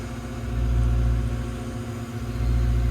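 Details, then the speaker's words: Brand-new Develon digger that won't run properly after driver changed filters; tank fuel flow fine and lift pump sounds like it's working. Deep diesel rumble swells, then sags and stumbles before picking up: engine bogs under load, cause unknown. "I think it did just try and bog. There it goes. There it goes."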